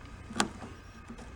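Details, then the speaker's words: Old bucket truck that won't start from the upper controls, switch circuit jumped: single sharp relay click, no starter cranking; cause suspected, not confirmed. "you're clicking should be the same circuit so that's fine for that circuit"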